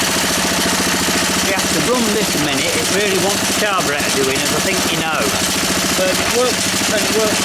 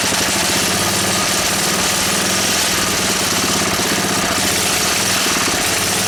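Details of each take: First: Honda E300 generator engine running: steady even putter with fast regular firing beat, no knocks or misses; engine runs, awaiting a new spark plug. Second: Honda E300 small generator, carburettor needing attention, running at steady speed: harsh, busy metallic rattle as its frame buzzes against the fence beside it.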